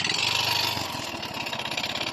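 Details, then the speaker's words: Yamaha Mio i 125 scooter at idle before repair: harsh metallic clatter and rapid ticking, head ticking and piston slap; engine oil found almost completely empty. "lagitik kalampag parang masisira na ang buong makina ngayon guys apang checking una ko talagang ginawa ay i-check ang kanyang oil dito sa part nito nadiskubrehan ko na grabe ubos talaga ang langis ng kanyang makina"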